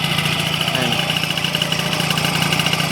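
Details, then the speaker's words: Honda Dio scooter two-stroke engine after full rebuild, nearly all parts replaced incl. crankshaft bearings, piston and engine bushing: quick even putter at idle with steady rhythm, no knocks or rattles; normal idle. "Bagong ano to, rebuild, halos palit lahat. Sigunyal bearing, piston, lahat palit."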